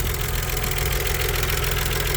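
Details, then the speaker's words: Stage 3 Audi Allroad at idle after a forgotten vacuum hose was reconnected and misfires cured: a light tick over steady idle from hydraulic lifters on one side of the head, loud until they pump up and adjust. "lifters are kind of loud until they adjust and everything on this side of the head"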